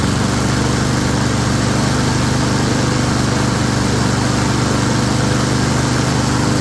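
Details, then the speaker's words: Honda self-propelled mower: single-cylinder engine running steadily at even speed, no surging or misses; smoky, possibly overfilled oil or oil in muffler from tipping. Normal running. "She a smoky girl, but she runs."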